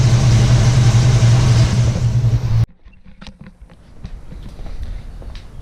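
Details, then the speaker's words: 1967 Ford Mustang 289 V8 after rebuild, timing about 10 degrees advance, idle about 800 rpm; even low idle rumble for a few seconds then cuts off; runs smooth, throttle responsive, starts great. "right guys that's a wrap this thing's running doing good sounds awesome starts great get the timing set at the idle reset"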